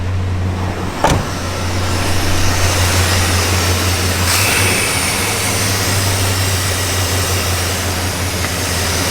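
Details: 1982 Chevrolet C10 2WD with swapped 305 TBI V8 and 700R4 transmission, first run after sitting as non-runner, replacement plug wires fitted: deep steady idle, even low rumble, no knocks or misses; healthy idle.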